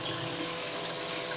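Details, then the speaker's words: Shellback 3-12-19 laundry pump, freshly installed under a laundry sink, running after its air switch turned it on with water in the tub: steady smooth motor hum under a constant watery rush, no rattles or grinding; pumping out through discharge normally. "So nice, slow and steady. It's just gonna pump that water out through our discharge."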